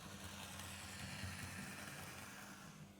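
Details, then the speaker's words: Bachmann LBSC Thomas model locomotive at speed setting 50, compared with a serviced Thomas: faint steady buzzing whir, rougher and louder, and slower; motor is the only difference; noisy motor. "crikey there's literally no difference between the two besides the motor though wow well there's some improvement to do then before it runs as well as this one does"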